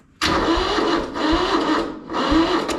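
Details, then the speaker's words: Kubota L175 two-cylinder diesel tractor, battery possibly low, decompression cable broken: starter churns in three short surges about a second each, never catches; cranks without starting, cause unconfirmed. "Guess that's a no."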